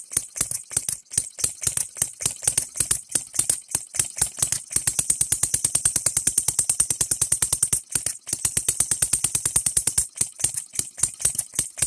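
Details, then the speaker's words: Engine DIY three-stroke model gas engine (no compression stroke; low speed, high torque), cheapest model offered; fast, crisp, even popping at a steady rate with no misses or stumbles; running cleanly. "I'll shut it off and you put it at the right spot right here and turn it on and it will fire this stupid thing just runs how cool is that"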